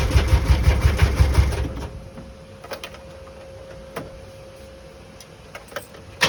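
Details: Bedford CF; starter spins the engine in quick even pulses under two seconds without firing, cranks but won't start.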